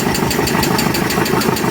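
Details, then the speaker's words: 34-year-old Alfa Romeo 33 petrol engine, not run in 23 years: sharp, regular ticking knock about six beats a second at a struggling idle. Swapped ignition leads caused earlier backfiring; unsure whether tappets are hydraulic. "the the two HS over here were switched up that's why it was backfiring so much it's alive kind of"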